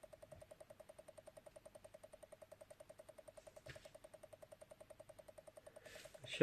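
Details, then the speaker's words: Amiga 500 4.5 A power supply with no load emits a fast, even ticking, about seven or eight clicks a second, despite recapping; voltages slightly out of spec, especially ±12 V; owner suspects a regulator or transistor. "I've recapped it checked all the caps on it Tereus a couple of diodes on it but it still makes a weird sort of clicking noise and as I turn it off the kid noise dies and goes to nothing"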